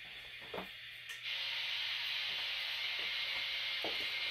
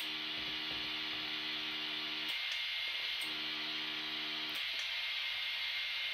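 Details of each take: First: PRC-77 backpack radio (receiver fine, transmitter faulty) with bush whip antenna and battery, heard through the handset: a steady rushing hiss that swells partway through; normal receiver noise with the squelch off. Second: Vietnam-era PRC-77 backpack radio with a bad transmitter but a good receiver, heard through a second radio: over the squelch-off hiss, a low steady buzz comes in two keyed bursts instead of clean audio; A50 transmitter mixer module defective.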